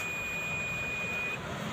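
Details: Analog multimeter continuity check before testing a UPS battery: clean steady high-pitched beep for about 1.5 seconds while probes touch; normal, meter works.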